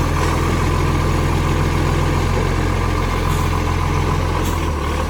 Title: Brisbane Recycling 813 | Exhaust Leak